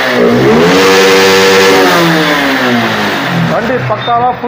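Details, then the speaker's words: Honda X-Blade motorcycle with low pickup complaint, revved with poor-quality local air filter removed: note climbs cleanly to about 11000 rpm and drops back without stumbling; the local filter choked the engine; normal free revving. "Throttle 11000 rpm வரைக்கும் போகுது"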